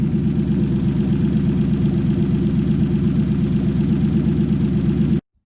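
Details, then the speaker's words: Toyota 1UZ-FE V8 in a Lexus SC400/Soarer on a 40/40/40 ECU with a brand new conversion loom; even, deep V8 idle rumble at a steady pace with no misfire or ticking before shutoff, running healthy. "I think we'll fire it up one more time and call it a day."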